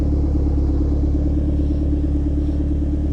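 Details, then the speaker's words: Forged Ford RS turbo on stands, just started on its new map, still cold at 75°C coolant with exhaust condensation: even, steady low rumble pulsing about three times a second, no knocks or ticks; healthy cold idle. "So, that is sounding really nice. Bit of condensation there, everyone."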